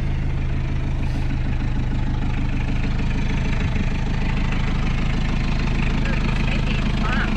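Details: Isuzu P'up four-cylinder turbo diesel mini truck, sitting unused since 1996 (about 28 years), revived: settles into a regular, even low clatter of about two beats a second, a normal idle.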